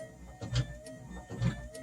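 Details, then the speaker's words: 1962 Mercury Comet electric wiper motor, once thought vacuum-driven, hooked straight to 12 volts and freed with body-hammer taps: steady whirr with a soft thump about every second as the linkage sweeps; running normally. "all i know is i hook the 12 volts up to that motor"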